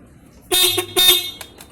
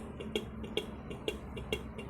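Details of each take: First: Ducati 796 horn taken out of its bracket: two loud, clear blasts with a strong, steady tone. When screwed tight in the bracket the horn is dull or silent, and when loosened it is loud. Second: Ducati 796 horn with the battery connected: with the mounting bracket bolt tightened, pressing the button gives only faint sharp clicks, about two a second, and no horn tone. Loosened, it works. The horn clicks without sounding.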